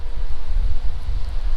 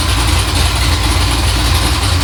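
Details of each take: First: 6.0 LSA supercharged V8 swapped into an OBS 1500 truck, during tuning while heat-cycling, coolant at 185 after earlier surging as it warmed: deep, steady rumble at idle with no knocks, misses or surging; idles smooth and healthy. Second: 6.0 LSA supercharged V8 swapped into OBS 1500 truck, idle freshly adjusted: loud, deep idle with an uneven rise and fall as it warms, coolant around 185; certain tune cells unhappy, idle surge to revisit in logs.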